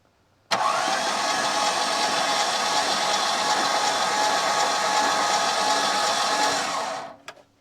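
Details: Holden VP Commodore 5.0 L injected V8, greased starter with bypassed exciter wire, cranked: smooth, even whirr for about six seconds, no drag or clatter. Normal cranking; starter working properly.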